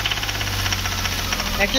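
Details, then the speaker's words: VW Polo 1.2 with rebuilt engine, after timing and injector nozzles corrected: sharp, regular knock over the running engine; mechanic suspects engine fault, either a too-thin head gasket or a valve/piston problem, unconfirmed. "मैंने गाड़ी की timing और नाजिल सिरोही सही कर दिया है तो आप फ्रेंड्स एक तो एक परसेंट इसके इंजन में दिक्कत है"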